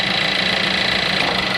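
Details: VW Jetta after AC compressor replacement and vacuuming, AC on recirculation, engine idling: steady hiss and even whir with a faint high tone, no grinding or clatter; normal AC compressor operation, car cooling.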